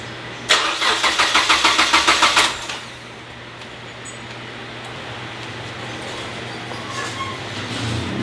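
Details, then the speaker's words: Car with 2.5 engine swap, first start attempt, engine in time, battery possibly low: starter cranks briskly about three turns a second for two seconds but the engine never catches; crank, no start, cause unconfirmed. "so as you guys can hear and tell the engine cranks and everything but it's just not turning over and i know it's in time everything's plugged in"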